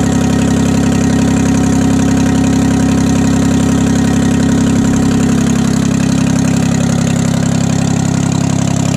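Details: 1968 Detroit 3-53T two-stroke diesel after total overhaul, still stone cold (engine about 4.5°C, outside -3°C): loud, steady diesel clatter at even idle, no misses or knocks; normal idle, good oil pressure, no leaks.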